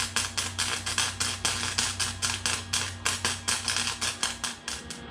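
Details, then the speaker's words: Harbor Freight Flux 125 flux-core welder with wire speed set too low for the steel thickness: a choppy, popping arc sputtering about four times a second over a low hum instead of a steady sizzling-bacon sound. "Now, a good weld should sound like sizzling bacon on an oven. As you just heard a second ago, that sounded nothing like sizzling bacon on an oven."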